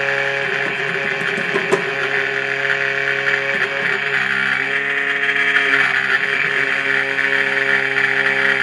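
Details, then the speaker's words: Cifer 2486 intelligent terminal, unused since 1982, first power-up: loud steady whir with several fixed tones and faint rattle at start-up, probably the rear fan, possibly needing attention; no smoke, capacitors look undamaged. "sounds like the rear fan. There, how was that? That scared me. I think that's the rear fan on it."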